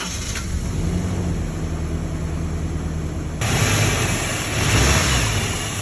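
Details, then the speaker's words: 2003 Toyota Tacoma 2.4L 2RZ-FE four-cylinder: cranks, catches, then uneven stumbling idle; misfire code P0304 (cylinder 4), coil packs swapped to see if misfire follows the ignition coil. "So it popped P0304 again. What we're going to do now is we're going to swap the position of the coil packs."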